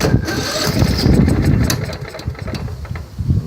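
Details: Riding mower engine for a snow plow, suspected blown head gasket, carburetors already changed, cranked after an attempt to set the valves: uneven chuffing and thumping about four beats per second, catching then stumbling. It knocks, starts and stalls; cause unknown.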